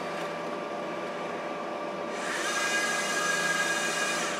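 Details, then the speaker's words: Compaq DLT tape drive in an old HP/Compaq ML350 server running a clean tape made in 2004: dull whir, then a harsh scraping hiss with a thin whistle; owner says it's not out of alignment but sounds like it's scraping. "it's running I mean it is it is doing it it's not out of alignment it's everything's cool it just sounds like crap is scraping"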